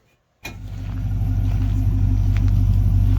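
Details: 1951 Chevy Bel Air with 5.3 LS swap, 49 miles on the build, cold start on a 42° morning: catches and settles into a deep, even burble with steady low rumble, no knocks or misses; normal idle.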